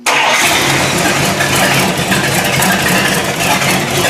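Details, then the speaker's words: 1955 Buick, first start in six months, after new points and condenser fixed inconsistent spark and the timing was set close: it catches immediately and settles into a steady, even run. Starts and runs normally, and the temperature gauge was checked. "It starts right up and runs good."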